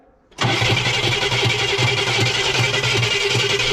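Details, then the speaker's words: 1968 Cadillac Eldorado, sitting 20+ years, cranked on fresh gas with a hot shot in the carburetor; cranks hard with an even chugging beat but doesn't catch, with an unidentified noise from the rear. "All right. No, that's something back there. I don't know what the heck that noise is."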